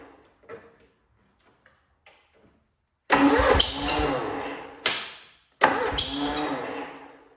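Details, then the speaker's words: Cub Cadet Cyclops, Kohler 18 twin with fresh 10W40, cold start: it catches in ragged bursts, stumbles and dies twice before refiring unevenly. Owner suspects the muffler, a bad coil or plug, and not firing on both cylinders; finding: blown head gasket. "I still think it's a muffler, but I don't think she's firing on both cylinders at the same time."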